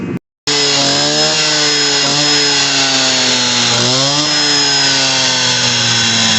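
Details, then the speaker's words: Stihl TS400 two-stroke concrete saw after carburetor kit replacement and new spark plug, bad old plug having caused it to die: high buzzing note holds steady, dips once, picks straight back up; running properly. "i was running too good well shut off and took it off"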